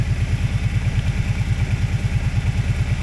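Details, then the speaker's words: Kawasaki Brute Force 650 Prairie ATV, warm, after overheating repair (radiator cap, thermostat, fan switch): steady even idle at about two beats a second with smooth cooling fan hum as the fan cycles on; normal. "if we let it sit for a few seconds here we should he we should hear the fan turn [Music] on cuz it's pretty warm right now"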